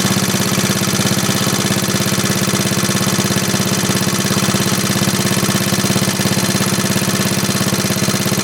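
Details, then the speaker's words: 1939 Onan generator after carburetor cleaning (varnish-stuck float freed), choke off, output at 115 V; rapid, even single-cylinder thump at constant speed with no misses, no smoke; running steadily and healthy. "There we go. That's good, steady. Look at that, Mike. No smoke or nothing. Yeah, that's pretty good."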